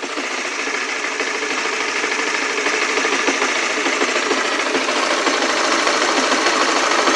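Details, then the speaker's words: Small motorcycle engine (Oscar) after its nearly year-long "klotok-klotok" noise, now idling normally: steady, light, even deg-deg-deg patter of about three beats a second, unlike the earlier knocking. "Memang ada suara kayak deg-deg-deg. Ini normal ini. Aslinya nih suara normal memang seperti ini suara mesinnya. Jadi beda jauh kan dengan suara yang sebelumnya kan klotok-klotok-klotok seperti itu."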